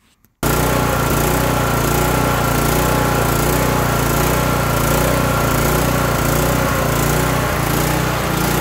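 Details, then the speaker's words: Kohler Courage 18 engine on a Toro lawn tractor with non-adjustable jet carburetor and unclogged fuel cap vent: runs loud with rising and falling speed, surging badly; to be fixed with the low idle adjustment needle. "so looking at this toro lawn tractor and um this uh this engine likes to just surge like crazy so let me fire it up and show you what i'm talking about"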